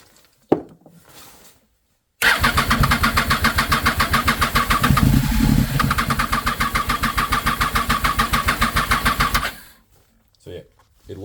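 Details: 2007 Triumph Daytona 675 cranks steadily with a few firing puffs but never runs; spark present on all three plugs, fuel pump primes without tone change, owner suspects low fuel pressure from failing pump or debris-blocked regulator, unconfirmed.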